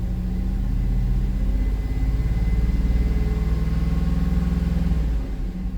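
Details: 2005 Cadillac Escalade 6.0L LQ9 V8, parked 5 years, code P0300, after new plugs, wires and coil and injector swaps on cylinders 2 and 6: deep uneven lope, repeating stumbles; engine misfire persists on cylinder 2.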